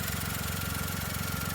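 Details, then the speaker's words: 2010 VW Polo 1.2 petrol after starter motor replacement for an intermittent starting fault, started in neutral: smooth, even idle with a steady low pulse and no misfires, knocks or starter grind. "oh sweeter than all purring away like a kitten listen to that beauty and there's that starter motor tucked away down there nice and new"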